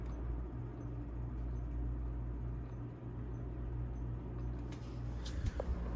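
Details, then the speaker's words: 1937 Westinghouse 16-inch Power Air pedestal fan, restored and shimmed with fire washers, running: faint sharp ticks about every three-quarters of a second over a low steady motor hum; ticking of unknown cause. "a ticking. I don't know what that is, nor do I really care."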